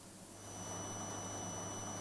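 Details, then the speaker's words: Clock/projector unit with a fluorescent-backlit display. A thin, steady high-pitched ringing sits over faint hiss; it is the normal whine of the backlight inverter oscillator, and its tone changes when switched brighter. "that ringing noise you can hear is the oscillator for the fluorescent backlight now when I do this switch to make it brighter the tone changes"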